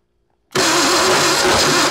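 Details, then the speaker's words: Classic Ford Bronco project engine, first start attempts with a grindy starter that kicks out; silence, then the engine briefly catches and runs roughly for a moment while cranking, needing more gas; cause unclear. "here well she kicked all right a little more gas in her"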